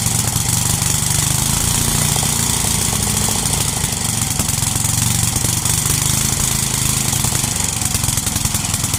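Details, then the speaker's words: 33-year-old Homelite 8 hp 4,400 W yard-sale generator: steady even single-cylinder running with rasping exhaust, no misses or surging; makes power but leaks gas. Normal running. "All right. Well, so it works. It runs, makes power, leaks gas."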